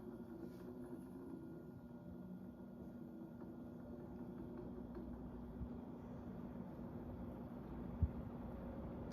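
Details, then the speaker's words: Antique Montgomery Ward 20-inch reversible box fan running forward with a steady low hum and a faint, rough whirring from worn motor bearings, which are still rough after oiling; it is otherwise nearly silent on low despite a wobble. "You can definitely hear the bearings, too. I've oiled it, but they're in pretty rough shape."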